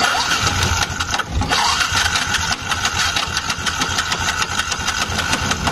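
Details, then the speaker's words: Yamaha Jupiter MX King motorcycle that won't idle: harsh, clattering, noisy starter cranking. All three bolts of the one-way starter clutch on the magneto rotor were found broken, causing the noise. "silahkan cermati suaranya seperti apa nanti kesimpulannya rusaknya di mana gitu ini staternya berisik kayak gini nih"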